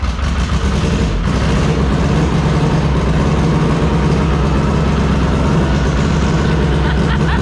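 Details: SHO'NUFF race car started from a laptop through a hardwired PDM and FuelTech, completely cold with air-fuel at 12: a lumpy, stumbling idle with dropped pulses. It sounds like a misfire; owner wonders if an injector is stuck.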